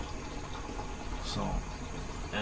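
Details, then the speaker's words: Newly installed Saniflo Sanivite drain pump, first test run, microphone placed near unit: soft steady low hum with water rushing through, no rattle or knock, doesn't move around, running quietly and normally. "Yeah, that's a lot quieter than it is. Mm-hmm. Doesn't really move around too much, it's nice and quiet."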